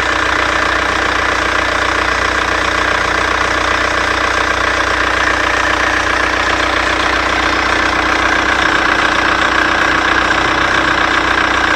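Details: Seat Cordoba at idle: thin high squeal with a regular chirp about 2.5 times a second. Owner suspects the alternator belt, cause unknown.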